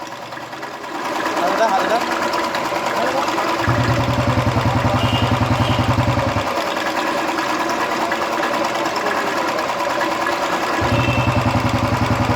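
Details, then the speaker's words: Royal Enfield 350 Electra after tapping-noise repair restoring top-end oil flow; engine now smooth and clear, steady even single-cylinder idle thump with no top-end tapping: normal idle. "गाड़ी कितनी स्मूथ हो गई है। पहले इसमें किस तरह का साउंड आ रहा था और अभी देखिए कैसा साउंड आ रहा है, एकदम प्रॉपर क्लियर हो गया है।"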